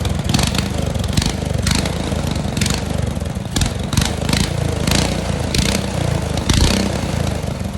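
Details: Restored Tecumseh 12 hp single-cylinder engine, primed, on half choke, air filter off, jetting still unfinished. A loud single-cylinder thump runs steadily with slight uneven surges; the engine is running.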